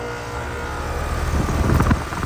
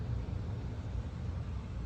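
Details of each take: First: Flood-submerged outdoor AC unit not turning on: coarse, steady electrical buzz with low hum and brief louder surge from a completely fried contactor; fix is replacing the contactor and the 30+5 round capacitor. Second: Outdoor central AC unit after flood, running again after reconnecting loose wire: steady low hum with even fan rumble, no buzzing or rattle; ice-cold air inside. Normal AC operation after repair.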